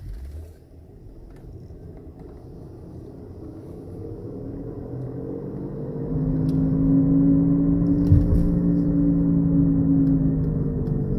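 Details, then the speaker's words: Honda Accord front wheel bearing (pressed-in type), heard while driving: a low droning hum that gets louder with speed, shown at 40 mph, and drops off when the car stops; worn front wheel bearing growl, to be replaced. "Hear how it gets louder and louder as you speed up, and then when you come to a complete stop, of course, the noise goes down."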